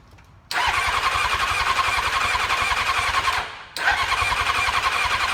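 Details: 2000 Honda F4 motorcycle run without fuel tank on carb fuel only; starter whirs, engine catches quickly, smooth even four-cylinder idle, no abnormal noises; carbs, ECU, coils, harness, cluster all working.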